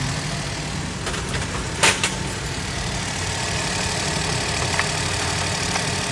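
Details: 2012 Suzuki Alto with a hard cold start, hunting rpm and a P0301 cylinder 1 misfire caused by jammed tappets: after tappet adjustment it starts cold and idles quietly and evenly with a soft hum, no stumble; no codes.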